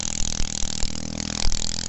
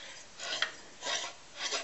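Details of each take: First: 1969 single-cylinder stationary engine of roughly half to two horsepower, revived after sitting for ages, running indoors in a kitchen: a steady, even putter with no stumbles or knocks, running smoothly and sounding healthy. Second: Briggs engine with an Alcon water pump turned over by hand: three slow, dry rasping grinds coming from the stiff water pump; engine itself fine, compression weak, oil and WD-40 added to the cylinder.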